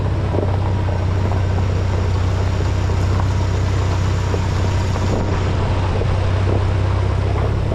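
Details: 1952 International Harvester Farmall Super C tractor engine running smoothly with a steady, even low rumble after repair; the earlier miss, first blamed on the carburetor, cleared after distributor work (bent rotor prong; owner unsure if a stuck, rusted mechanical advance was the cause).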